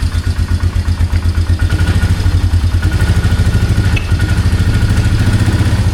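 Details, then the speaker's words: 2003 Polaris Magnum 330 4x4 ATV with hard-start history, first start after fuel pump replacement, idle turned up: steady, even single-cylinder thump with no misses or rattles; healthy idle. "There we go. Wow. No way. That sounds amazing. We might need to turn that idle up a little [Music] bit. There we go. And she's just purring like a"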